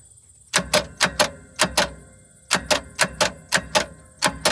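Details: 1972 Toyota FG20 forklift after it died under load running warm: sharp paired clicks repeating irregularly with no cranking; the engine won't turn, and the owner hopes the battery is dead rather than the engine locked up, unconfirmed.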